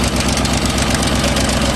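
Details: 2008 Ford Mustang GT V8, sat for months, started to move before engine removal: loud steady knock over a rough idle; serious internal knock, reason the engine is being replaced.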